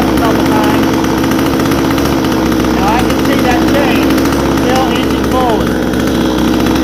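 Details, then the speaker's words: Vevor 62cc chainsaw, warmed up: fast loud even buzz at idle that never settles low, chain still inching forward with brake released; idle too high. "So I'm going to go in there and I'm going to back it out just a little bit. Still inching forward."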